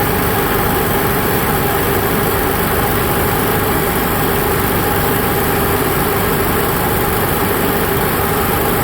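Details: Onan Cummins QG 5500/7000 (HGJAB) generator restarted after fuel pump primed and float bowl refilled: smooth even speed, steady hum, no knocks or misses; normal no-load idle.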